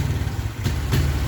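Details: Suzuki Smash motorcycle with weak, dimming battery: engine stumbles and sputters as throttle opens, like fuel starvation, not plug or carburetor; caused by poor regulator/rectifier (kiprok) ground.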